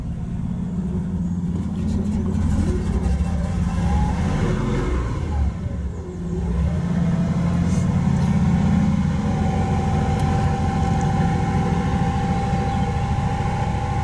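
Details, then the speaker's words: Unnamed vehicle on a 95°F day, shortly after a hot restart, with ongoing hot-soak restart trouble: revs sag sharply, nearly stalling, then recover to a steady drone; owner suspects flooding, unconfirmed. "almost stalled there, I think cuz it was flooding. That ain't a good sign."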